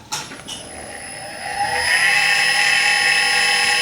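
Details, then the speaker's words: Clarkson Mk1 tool and cutter grinder motor after fitting economy bearings: winds up to a steady high whine with gritty rasp; bearings judged awful, to be replaced with branded Japanese bearings. "I think they're pretty awful."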